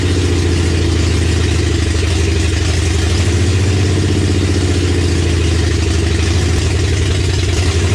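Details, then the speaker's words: 1965 Mercury Comet with 5.0L V8 and T5 5-speed on first start through open headers: deep, loud, lumpy, uneven idle from a vacuum leak, a plug missing on the back of the intake. "we got the engine running which was a huge stepping stone for this build turns out there was actually a plug missing on the back of the intake"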